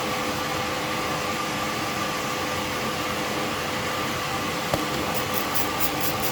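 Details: Alfa Romeo Spider after exhaust leak repair: steady even engine rush with faint constant hum, no puffing or ticking from the exhaust; sealed, healthy normal running.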